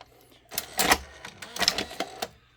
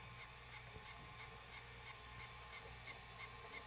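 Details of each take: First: Sony SLV-575UC VHS VCR, loading test with a test tape: quick run of light clicks and short motor whirs as the cassette threads, with no grinding; the loading mechanism works fine. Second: Sony SLV-575UC VHS VCR playing a tape: evenly spaced scratchy ticks, about three a second, over a faint running hum. Caused by a bent pinch roller shaft; the noise stops when the roller is pushed inward and worsens when pushed the opposite way.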